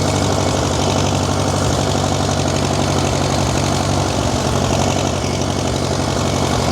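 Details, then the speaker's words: Steady, fast, unchanging drone that never drops to tick-over; the governor seems seized and won't return to idle. "Well, the governor seems seized up on a not going back to idle."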